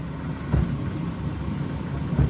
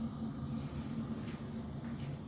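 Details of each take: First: Electrolux inverter dryer TDH3497RDW, which turned on but its drum didn't spin due to a broken belt, after repair: low steady hum with a soft thump about every 1.7 seconds as the drum turns; running smoothly. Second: Electrolux inverter dryer TDH3497RDW; powers on but drum does not turn, only a low pump hum and fan whoosh heard, no tumbling.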